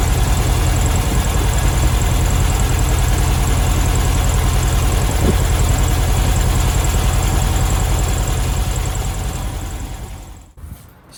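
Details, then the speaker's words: 1972 VW Beetle 1200 at idle after first start in two years: lumpy air-cooled idle with a regular stumble about three and a half per second, running on three cylinders with cylinder two not firing, plug suspected; misfire. "guys i'm gonna leave it there i think you can see it got it up and running three cell it does only but i'll get to the bottom of that"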